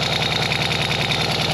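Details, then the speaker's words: Ural sidecar Soviet twin after timing recheck, valve clearance reset and new gaskets fixed an engine noise: steady, even idle with regular firing pulses and no knocks or misses; normal idle. "Voilà, écoute, un bicylindre, quel bruit il doit faire normalement."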